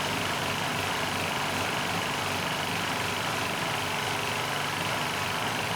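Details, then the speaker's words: Powermate SX Power Series 3250 W generator (PM0123250), choke on, runs slow with busy, slightly uneven drone that never settles; governor spring tension set too low, aiming for 61.5 Hz; surging, carburettor suspected. "And assuming it starts, it's going to run slow. I didn't put enough spring tension on."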